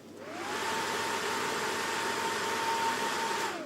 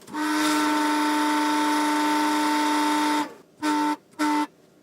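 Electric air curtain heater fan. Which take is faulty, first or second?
second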